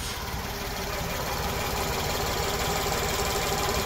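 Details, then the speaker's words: Kia Towner (Daihatsu Hijet-type) mini truck after swapping to a 250cc motorcycle carburetor, mixture screw set by ear at about one and a half turns, choke unused: steady even idle with regular low pulse, no misses or stumbles; runs cleanly. "you can even hear it I never never got to hear it like this when I have this piece of junk they gave me nothing but nothing but truck multiple problems"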